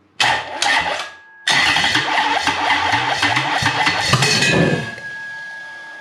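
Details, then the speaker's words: Toyota 1UZ-FE non-VVTi V8 test-run on an immobilizer-equipped ECU with the igniter outputs swapped: cranks, catches and runs with an uneven, stumbling beat as if the timing is out, with smoke from the exhaust. Fix is to swap the igniter outputs back. "and they do that see it feels like the timing's out that's when the igniter is around the wrong way"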